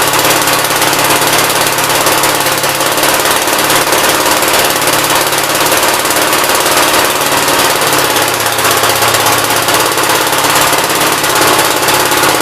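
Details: 1957 SR Gravely single-cylinder after top-end rebuild with 15-over rings: loud, steady hammering run with no misses, surges or knocks. Idles decently and no longer smokes heavily as before the rebuild; normal idle.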